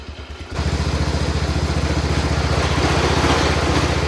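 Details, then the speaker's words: Cub Cadet 1200 mud mower, 12 hp Kohler, just revived after years in the weeds by cleaning the points, no smoke: catches and settles into a fast, loud clattering beat near 220 per minute, idle set too high. Engine rattle at high idle. "The motor sounds like it's trying to fall out of it, and the idle's not set low enough, but we're gonna go for a little ride. Listen to that thing rattle, jeez Louise."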